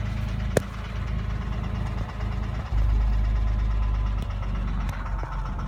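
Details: 2006 Porsche 997 3.8 flat-six at steady idle with a faint, irregular light tap over the low hum; owner suspects piston slap (Kolbenkipper) or hydraulic lifters, cause unconfirmed.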